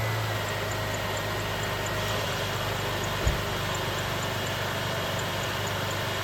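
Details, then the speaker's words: 2006 Jeep Liberty 3.7L Chrysler V6 after alternator replacement and belt reinstall: smooth, even idle hum with one brief thump and no belt-drive growl. The earlier noise is gone; normal idle. "Oh, she's quiet as a church mouse now. I think that'd be her."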